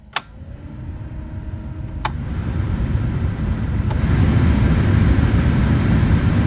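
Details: 2006 Corsa C 1.2 blower fan after the resistor was replaced (before, it worked only on setting 4 and was noisy): a click, then an even airy rush that holds steady with no rattle or squeal; normal blower operation.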